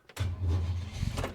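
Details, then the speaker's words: Holden HK with newly fitted starter motor, after ignition coil left on overnight with battery charger: slow laboured churning with heavy drone, engine turning sluggishly; slow cranking, not an earth problem, cause not pinned down. "Really groggy. It was never like that before, so I'm going to go for a drive shortly and just take for a test run, then come back."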